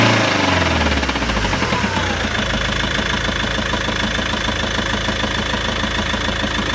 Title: Volvo v70 2.0d knocking noise from clutch?? Dual mass flywheel??